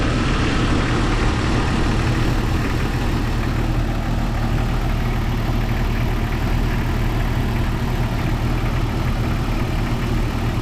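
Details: 1997 Jeep Cherokee XJ 4.0 inline-six idling after radiator and rebuilt NAPA power steering pump replacement, engine not yet warm: steady, even low idle with smooth drone, no squeal or whine; pump pulley wobbles slightly.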